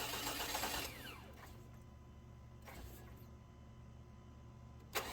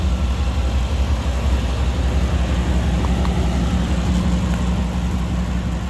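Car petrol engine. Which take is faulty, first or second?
first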